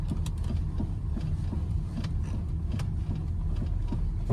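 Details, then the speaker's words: Driving at low speed over small bumps, sharp irregular little ticks and rattles with a loose feel up front, ticking each time the car loads side to side: worn front sway bar links, sharper than a bushing's lower thud. "the sway bar links are bad on this car and the way I can tell is low speed over little bumps you hear a little kind of a rattle a kind of a Sharp um a sharp little looseness kind of feel up front"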